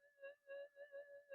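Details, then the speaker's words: Minelab SD2100 metal detector, previously modified with variable gain, returned for repair as not working, gain turned down: steady mid-pitched hum swelling and fading about three times a second while stabilizing; receiver suspected to pick up input near flyback, or tone set low, unconfirmed. "it's got that sort of uh I don't know how to say it's like sort of a sound to it that can indicate that the receiver is still getting some input near the flyback it's just a characteristic noise they make"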